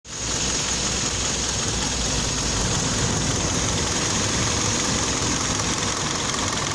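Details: Kia Optima engine at idle: faint uneven knock under a hissy background; knocking, cause not identified.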